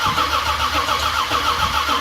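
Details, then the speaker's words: 1978 Ford Courier truck that hasn't run in a while, cranking: a steady starter churn with no firing; owner suspects dry carbs, has no fuel smell yet and wonders if it's out of gas. Cranks but won't start. "I'm going to imagine the carbs were completely dry yeah I don't even smell fuel yet"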